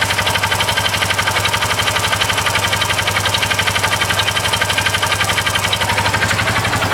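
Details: Engine running with a sharp, even tapping about four times per second over the idle, recorded again with another camera alongside blowby; the source of the unfamiliar engine noise is unclear.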